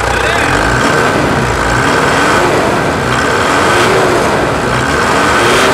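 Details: 2016 Mitsubishi Triton 3.2 diesel after service with air filter hose washed and engine and fuel additives added: loud, even diesel clatter at a steady beat, no knocking or misses. Healthy idle.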